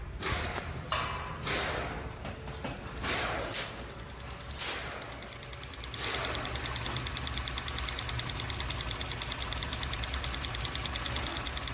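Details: Modern direct-injection engine at a smooth idle, after some handling thumps: a fast, even, light ticking about twice per second from the injectors and high-pressure fuel pump. Loud but normal direct-injection ticking.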